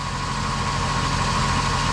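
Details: 2005 Chevrolet Silverado 1500 5.3L V8 after oil pump and pick-up tube replacement, oil pressure about 62, minor coolant drips: smooth even low idle with steady tone, no knocks or ticks; healthy.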